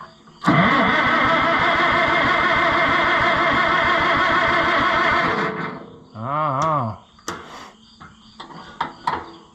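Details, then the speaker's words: Oliver 66 tractor after long sitting, choke on, cranking: starter turns engine steadily about five seconds with no firing; owner suspects no fuel, flooding, or corroded points, not confirmed. "know she's dry I hope it's got gas in it it may not have any gas in it come on baby doll it smells flooded"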